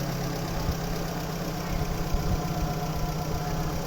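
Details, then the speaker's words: Engine knock in a car's engine, owner suspects burnt piston; noise began suddenly and engine was leaking a lot of oil; dull irregular knocking under rough low idle, pointing to internal knock from oil starvation; engine to be dismantled. "ó barulho é no motor agora a gente tem que ver aí o que é se é pistão queimada a gente vai desmanchar o bicho aí agora para ver o que é certo o barulho tá feio aí"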